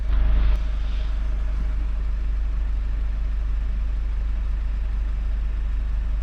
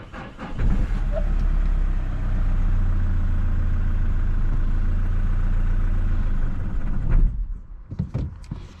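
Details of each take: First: 2017 Mazda 6 2.2 Skyactiv diesel, after turbo divert valve repair and successful DPF clean and regen that cured low boost pressure; steady, even low rumble at idle with no knocks, misses or whine, running smoothly with no fault codes. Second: 2017 Mazda 6 2.2 Skyactiv diesel, recovered as a non-runner, with DPF restriction and turbo underboost codes: fires and settles into a steady low rumble for about six seconds, then cuts out on its own; starts then stalls.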